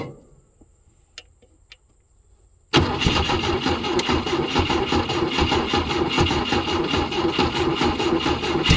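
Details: 1972 Volvo 145 four-cylinder after reconnecting missing plug wires: quiet, then it catches and settles into a busy, slightly uneven idle on all 4 cylinders, running surprisingly well but with a major vacuum leak.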